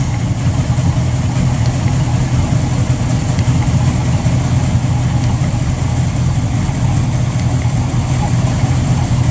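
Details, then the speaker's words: Mercury boat engine idling at the dock, 2 minutes run time, a little cold; scanner shows no codes, no knock, good idle fuel flow: steady even low rumble, no knocking or ticking; healthy. "fuel flow is good at idle engine run time 2 minutes a little cold still 7.4 all right that gives you good feel for what the engine's doing"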